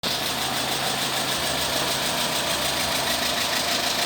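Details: Renault Megane 3 petrol K4M engine at idle: a rapid, diesel-like tapping at about three per second over the engine, from the cam phaser knocking with play; phaser to be dismantled.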